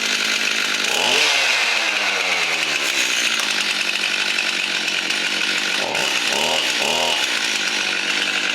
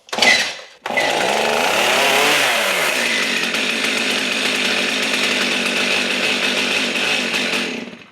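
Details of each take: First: Stihl MS 271 chainsaw that wouldn't start and squealed on pulling, once a blockage dislodged: two-stroke buzz climbs cleanly on each throttle blip and settles back without stumbling; starts and runs properly. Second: Stihl MS 271 chainsaw that won't start: each pull gives a rising-falling squealing whir over the rattle and it never fires; it was hard to pull, now pulls easier. Squeal suspected to be the clutch, not confirmed; turned out to be a simple repair.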